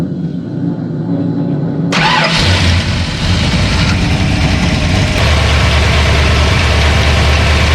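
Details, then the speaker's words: Ford 302 HO small-block V8 after a stuck needle and seat flooded the engine: brief cranking, then it catches and settles into a steady, even, deep idle that sounds healthy. "the motor it's way more happy you can see we have to clean up a lot of crap all over the place but when you hear it this time it's gonna be right"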